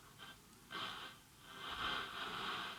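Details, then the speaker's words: Grundig Satellit 3400 Professional (late-1970s world receiver) under restoration on bench supply, FM at 89 MHz, volume max, antenna up: thin hissy trace of audio barely audible on what should be a strong station; weak FM reception. "oh i can hardly hear anything i can't hear anything let's try to put the antenna up volume's on max it should be a strong station right here can hardly hear it"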